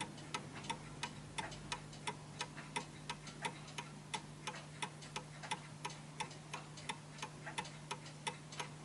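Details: Vintage British Bentima/Perivale Art Deco 8-day Westminster mantel clock, after fine adjustment of the beat: crisp ticks at about 87 a minute, evenly spaced with equal tick and tock; clock properly in beat.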